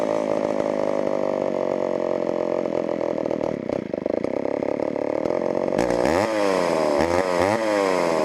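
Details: Homelite Super XL two-stroke chainsaw from auction: thin buzzy idle sagging and wavering, revs swinging unevenly; lean low-speed mixture, needs adjustment or carburetor diaphragm may soften up.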